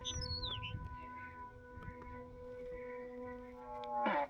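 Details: E-flite V1200 electric jet in flight on a 6S 3200mAh 100C pack, after an earlier repair. A warbling multi-tone whine with sweeping chirps over the fan, then a sharp burst; telemetry lost, dead-stick landing. The ESC is suspected to have failed again, with connection issues also considered; cause unconfirmed.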